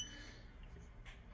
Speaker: but you will continue here in this beeping sound drivers need to report this immediately when the notification pops up